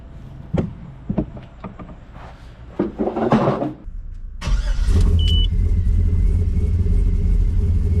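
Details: 1984 Chevrolet squarebody V8 truck started right after replacing leaking brake booster, checking for vacuum leak; a few clicks and rattles, then fires and settles into steady even idle, no hiss or stumble; normal idle, brakes now firm.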